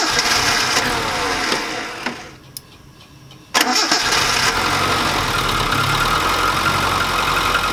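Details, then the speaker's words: Suzuki Samurai engine after oil change, extra oil added: catches after a short crank and settles into a steady idle with a light, quick tick over it; owner suspects valves never adjusted. "do a valve job because it does have a little tick they all do but it probably has never been adjusted"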